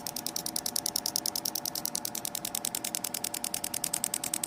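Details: Engine knock: sharp, regular ticking about three times a second over a quiet idle, from inside the engine; car judged to need an engine overhaul because of this sound, exact cause unclear.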